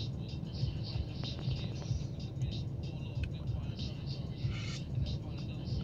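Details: BMW X5 E70 4.8L, about 142,000 km, in D holding brake: deep uneven idle with slow rhythmic lumps and wandering rpm, started after replacing ignition coils and new Bosch plugs; owner suspects the coil replacement, cause unconfirmed.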